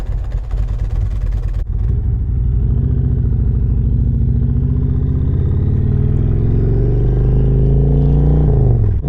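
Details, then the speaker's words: 2018 Harley-Davidson Road Glide Special, heavily customized with performance upgrades, on a ride: deep uneven V-twin rumble pulling through the revs with a light gear whir, not a knock; normal gear noise from the open primary. "You kind of hear not necessarily a knocking noise, but you do hear the gears, and that is because of the open primary."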